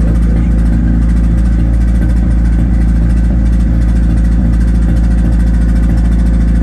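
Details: 1991 Nissan Hardbody just started after the 240SX turbo kit hot side was installed, with downpipe, O2/wideband and plug wires refitted. Loud, deep, lumpy uneven idle about three beats a second; runs rough, cause unknown.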